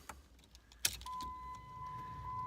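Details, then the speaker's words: 2007 Jeep Liberty blower motor after blower motor resistor replacement (previously only worked on high): steady, even whir on low with faint constant tone, no rattle or scrape; operates on all four speeds. "can already hear it working on low on number one position it's two three and forth so it's operating in all four levels"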